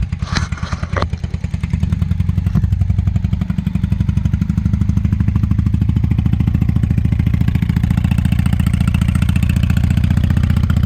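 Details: 1998 Honda Shadow 750 ACE V-twin, parked outdoors over 5 years, idling on a 65° day after cleaned carburetor refitted: very loud open exhaust, likely no baffles, with slightly irregular beat; owner suspects lingering fuel issue from aging gas.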